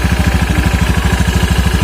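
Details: Scooter whose worn CVT rollers had made a noisy, rough sound that got worse on throttle: after the CVT was repaired and reassembled, an even, steady idle thump at around fourteen beats a second with no rattle or scraping.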